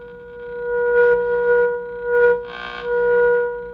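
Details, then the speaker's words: Arvin 257T tube radio during alignment, signal generator tone, oscillator trimmer A4 adjusted. A clean, steady tone holds strong at its peak. Trimmer correctly aligned. "So you can hear that peak. It's good."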